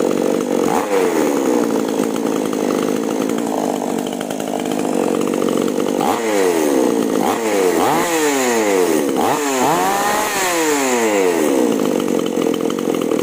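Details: Chainsaw after plug replacement and carburetor H/L retuning: cutting wood at full throttle, bogging briefly each cut then snapping back to a strong high scream.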